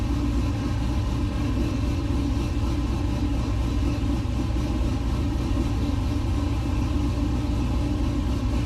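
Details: LS-swapped 1969 Chevrolet C50 farm truck, just after intake install and power steering seal repair with some remaining fluid leak; deep steady V8 rumble at even idle, no knocks, misses or surges; normal idle.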